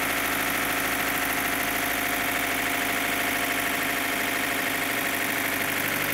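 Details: 2015 Opel Astra H Z16XEP idle: loud, fast, sharp metallic lifter-like ticking, about three per second. It stops when fuel is cut to cylinders 3 and 4; lifters there were replaced and it stayed. Not the injectors; timing correct; owner suspects non-original camshafts.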